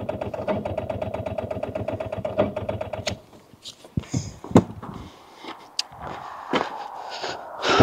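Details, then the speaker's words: Rover 800 abandoned in brambles for 15 years, towed in gear; steady, rather slow cranking about four turns a second for three seconds, no firing; owner suspects weak starter, engine not seized. Slow cranking. "So what we're going on is, it is spinning over. It's just, I don't think that starter is man enough. I don't think it's actually had it."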